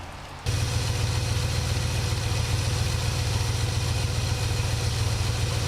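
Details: 1967 Buick GS340 on a cold start catches and settles into an uneven, lumpy, stumbling idle. The owner blames the ignition system, and faulty ignition points were later found and replaced. The remanufactured carburetor's idle circuit was also flowing poorly.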